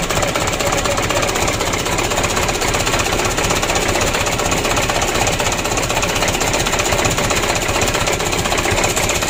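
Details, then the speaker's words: 2007 Mitsubishi Canter 125 diesel, first start after engine rebuild, cold: fast, clattery idle about four beats a second with uneven, shaky edge. Rough idle because idle speed is set too low; to be raised after warm-up. "Euro awal hidupnya seperti itu temen kalau tidur kita setel kita panas dulu nanti kita naikkan sedikit lega saya supaya tidak goyang"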